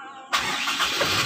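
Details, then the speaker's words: 1997 Toyota Kijang Grand 5K carburetted engine restarted hot after warm-up and carburettor tuning, before the new distributor is fitted. A short crank, then it catches immediately and settles into a steady run, a clean hot start with no repeated cranking. "biasanya kalau karburatornya agak bermasalah biasanya distater juga bisa dua kali tiga kali starter baru hidup ya"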